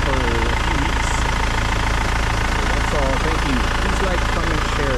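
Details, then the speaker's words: 2008 BMW 520d E60 diesel with new belts, tensioner, pulley and alternator bearings, belt treated with dielectric grease as a temporary fix; steady diesel idle clatter, no belt squeal or chirp. "turn it on this one now it's so silent so works"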